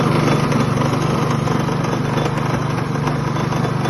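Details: Customer minibike with small single-cylinder engine running steadily: light, uneven metallic rattle riding over it about four times per second; source not obvious.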